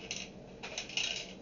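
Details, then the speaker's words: Mini portable reel-to-reel tape recorder: light metallic rattling in bursts when the unit is shaken, from a loose screw between the panel and main chassis, which then fell out. "let's see if we can shake it out there it was it just fell out whatever it was looked like a screw and I don't know where it went"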